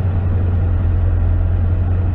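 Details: 2009 Toyota Tundra V8 after repairing rodent-chewed knock sensor wiring harness (VSC, check engine, traction lights, limp mode): low smooth even rumble, no knocks, ticks or misses; normal idle.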